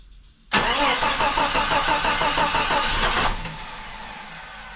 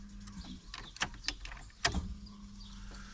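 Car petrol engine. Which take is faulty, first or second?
first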